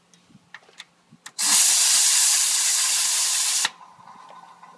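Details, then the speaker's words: Ford 6.0 Powerstroke diesel, no start when hot from low injection pressure: a loud steady hiss for about two seconds then cutting off, heard mostly at the number five injector, suspected leaking injector seal/O-ring. "I'm still hearing it mostly over here on number five injector it's the only one I'm hearing"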